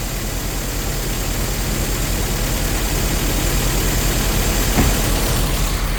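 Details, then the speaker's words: Nissan S13 200SX Turbo abandoned for years, just started after a no-spark problem: lumpy, uneven running with hunting revs and an irregular pulse under the exhaust roar; rough running, cause not yet known, no oil pressure noted. "Come on! Oh, it's running bad."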